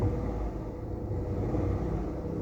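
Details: 1KR engine before repair, engine warning light on with code P0353; a low, lumpy idle rumble with an uneven beat, as if one cylinder keeps dropping out. Misfire at idle.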